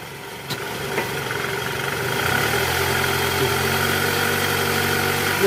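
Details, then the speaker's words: 2008 Toyota Camry 2.4 V, 2AZ-FE engine, after replacing the AC belt tensioner (weak spring) and torn upper right engine mount: steady idle in gear, no growl from the belt side; growl gone, normal idle. "Oke bunyinya udah hilang ilang Bang"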